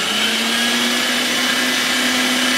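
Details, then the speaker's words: Electric meat grinder stuffing pork bratwurst, after reversing to clear fat loaded on the blade and going forward again: steady, even motor hum with clean high whir, no bogging; running a lot better, normal running. "now it sounds like it's running a lot better."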